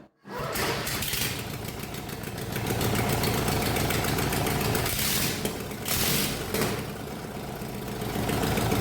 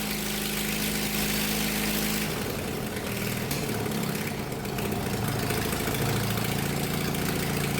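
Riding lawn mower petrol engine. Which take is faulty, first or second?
second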